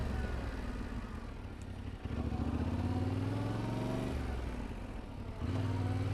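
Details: Motorcycle demonstrating smooth upshifts as the goal for rookie riders: engine pulls up, dips briefly at each of three shifts and pulls again in a lower note, no clunk; smooth gear shifts.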